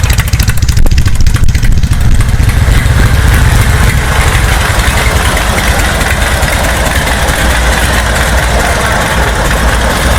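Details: A 1931 Harley-Davidson motorcycle started up after a priming process that involved enriching the mixture with the clutch down. It gives a loud, loping low thump, ticking over evenly on its own. Normal idle.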